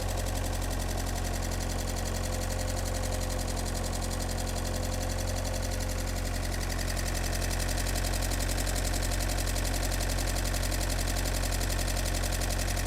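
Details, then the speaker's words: Fiat Panda with swapped Abarth Panda Turbo TJet engine, first runs after the swap: fast even ticking around 220 per minute over steady idle; source not pinned down, owner hopes injectors are settling down. "this sound a bit noisy don't it"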